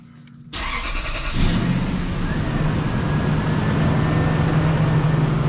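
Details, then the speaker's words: Lexus LS400 start after replacing belt, tensioner and idler pulley (long-running noise): brief crank, then steady even idle with no belt chirp or squeal; fixed. "oh y'all don't hear that noise y'all don't hear that noise said we did a good job"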